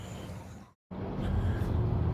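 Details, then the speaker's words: Ford Edsel V8 after replacing a stuck-shut thermostat, gasket and coolant, having overheated and hissed; idling 5-10 minutes at about 70°F ambient; deep, even idle with steady low burble and no hiss, miss or knock; so far so good. "And like I said, it's been idling here for like 5-10 minutes. And so far so good."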